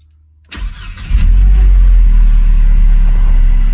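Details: 2001 Mercedes SLK 170 after fixing P202C-8 no-crank no-start with a used ECU, DAS module and ignition lock, restart after clearing SRS faults: quick crank, catches right away, steady deep idle with no misses or odd noises; normal.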